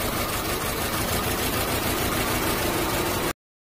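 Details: 2013 Holden Trax petrol engine idling roughly with an uneven stumbling beat, a misfire with code P0300, addressed by replacing the coil pack.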